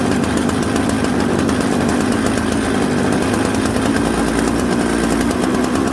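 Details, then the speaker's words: Mixmaster chainsaw built from Jonsered 630 Super and Husqvarna 266 parts, just started on choke: runs steady and loud with a soft, uneven burble coming off idle; smoky, rich low-speed mixture, fixed by turning the low jet in. "so you hear how smoky it had a little bit of a bumble off idle so what i did was i turned the low jet in the low jet is usually the one closest to the cylinder almost"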